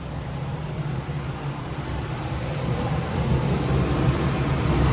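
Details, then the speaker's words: Heat pump furnace blower whose fan never shut off (fuses had blown), after re-wiring, thermostat fan switched to On: relay snap, then steady even low hum building and holding, no rubbing, squeal or knock; normal blower running. "i'm gonna turn the fan to the on position"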